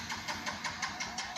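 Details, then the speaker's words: Yamaha Vega Force fuel-injected motorcycle cranked with the engine temperature sensor unplugged: quick, even cranking pulses about five a second that never catch; no start, warning light blinks and reads fault code 28, engine temperature sensor. "nggak bisa hidup ada kedipan disini email ya"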